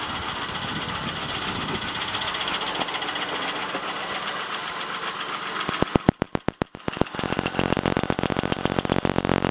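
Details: 1999 Plymouth Voyager 3.0 V6 at idle: sharp, regular tapping knock, isolated with a mechanic's stethoscope; suspected rod knock or valve tap, found to be a cracked flywheel.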